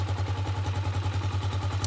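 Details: Gatoma GT150A motorcycle idling: steady single-cylinder putter at about eleven even pulses a second, no misses or clatter; smooth, healthy idle, charging system reads 13.52 V and rising, so the year-old battery is suspect.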